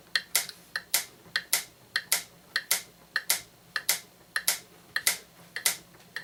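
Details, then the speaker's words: Franz FB-4 electric metronome from 1940s-50s, AC line-frequency driven, before calibration: ticks around 100 per minute drift from online reference metronome; tempo slightly inaccurate. "there so I just have a little online metronome here you can tell they're a little bit off"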